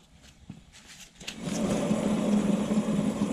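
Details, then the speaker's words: 2015 Yamaha Grizzly 700 ATV, about 4,500 miles, on a lift: a rear wheel bearing with no play, spun by hand after a few light clicks, builds into a steady, gritty roar, meaning the bearing is rough. "you hear it Rory that wheel brain is rough making a rowing roaring I can't I can't say roaring sorry I say that Wolverine is noisy"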